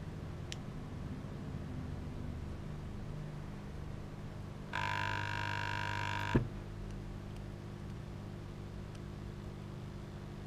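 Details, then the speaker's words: 12 V 8 A battery charger, possibly Australian-made, plugged in on the bench: steady mains hum then a harsh loud buzz before it cuts out with blue smoke; transformer stays cold, bridge rectifier suspected of overheating. "oh look there's a bit of blue smoke let's unplug it it is definitely overheating so I reckon it's that bridge rectifier"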